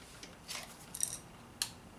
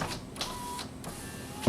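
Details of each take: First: 2006 Honda Civic EX front passenger power window stuck up: sharp dry irregular clicks, louder now, with no motor hum or glass movement; window motor is bad and the regulator needs replacing. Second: 2006 Honda Civic EX, power window check with key on: a working window motor gives a smooth, even whirr and stops cleanly, with no grinding or skipping, while the right front passenger window does not work.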